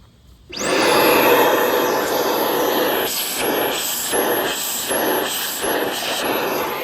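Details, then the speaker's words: 2013 Buick Regal 2.4L with code P0411, secondary air pump at bottom of engine spins up into a steady high whirring rush pulsing about once a second, drawing filtered air from the airbox to the air solenoids; pump running. "The pump is connected to a bracket with like 3 bolts, and basically all that does is sucks air from here and pushes air to these air solenoids."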